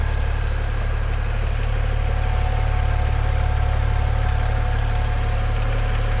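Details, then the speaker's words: BMW N54 335i with Chinese 17T hybrid turbos, new inlets, first start after install, cold weather, sat a week; steady dull ticking about four beats a second low in block at idle; owner suspects cam bearing, AC compressor or injector, unconfirmed. "This is a particularly noisy engine. Well, I can hear it. It sounds like cam bearing or something. It's weird. It's like down here."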